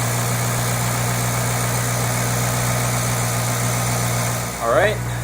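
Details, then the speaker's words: 2008 Ford Mustang GT convertible V8, cold idle before an oil change on quite low oil; steady, even smooth rumble with no knock or tick, engine healthy. "then we're gonna do a cold start right after I change the oil so I'm not going to let the engine heat up so you'll get a pure cold start"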